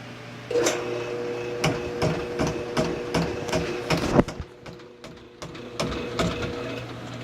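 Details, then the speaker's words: Cobra Pro drain cleaning machine feeding its spinning cable into a clogged drain: a steady motor hum with irregular knocks and slaps, about two or three a second, as the cable chews through the clog. The operator hears it unclogging, but this is not confirmed. "There you go. I hear it. I can hear it. I can hear it unclogging in there. Okay, go ahead."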